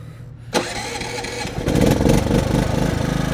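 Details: Maxpeedingrods MXR6000GT 6000 W inverter generator started unplugged on its 220/240 V setting before running a welder: quiet background, then a sharp catch and a clean pickup into an even, steady running beat.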